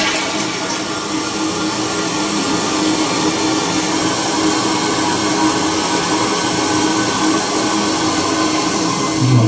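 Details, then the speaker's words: Ricky toilet: loud steady rush of water refilling the tank with a faint droning tone under the hiss; fill valve not closing, so water keeps running and leaking non-stop. "this some hissing noise that means the valve is not closing that means the water is leaking"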